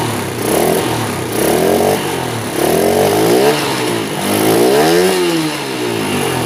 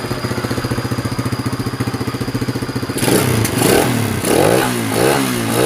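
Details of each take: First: Honda Sonic motorcycle, hard starting and won't rev: short blips swell then sag without climbing freely, engine bogs; carburettor doubted, low compression or vacuum-operated valves suspected, not confirmed. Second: Honda Sonic motorcycle with hard starting and poor acceleration, low compression, after fitting a replacement carburettor and tuning: steady pulsing idle, then quick clean throttle blips; starts and revs normally.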